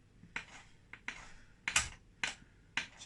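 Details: Yamaha DT125R gearbox on the bench after bottom-end rebuild and a worn selector fork replaced, shifted through the gears by hand: clean, sharp single clicks about half a second apart, no grinding or rattle; normal gear selection.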